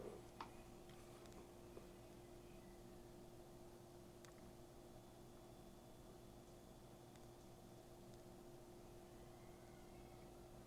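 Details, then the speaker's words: PNY RTX 5080 Slim GPU at idle in large case with other system fans running: very faint steady airy hum and low whir, no ticking or rattle; incredibly quiet, normal idle fan noise. "Yeah, it's incredibly quiet, obviously."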